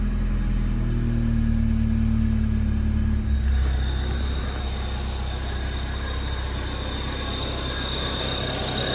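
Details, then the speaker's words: Supercharged Mazda Miata with a C3084 head unit and 80mm pulley, after rear weld-up and reinforced diff: steady low engine drone under way with road rumble, no whine or grinding from the blower; quieter than ever, healthy. "So we're gonna go test it out, but it sounds really good now, so hopefully we can get them right back on the road with this."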